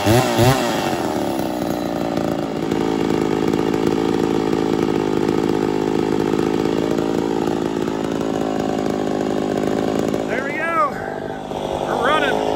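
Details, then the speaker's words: Poulan 245A chainsaw, ported, on its first start before tuning: howls at a fast idle with revs wavering and sagging, starving slightly on the low jet; lean running at idle. "she's a little lean you hear it starving just a touch that's all right though"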